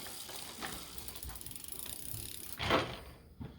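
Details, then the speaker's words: Bicycle front derailleur being adjusted, chain shifted on chainring 3 then dropped to 2: only light freewheel ticking and a single shift click with no scraping or chain rub; front derailleur set right. "Okay, that seems to be no rubbing on number 3. I'll drop it down to 2. That's gone."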